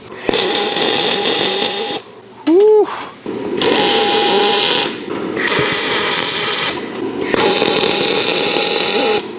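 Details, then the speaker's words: ArcCaptain MIG 205MP welding aluminum with a spool gun, after retuning from a too-crackly setting and attaching a ground: three bursts of even steady buzzing hiss, no crackle or popping, now less spatter; normal MIG spray transfer. "oh that's more like it sounds a lot better I don't know if you can hear that but it's just more of a hum it's not really"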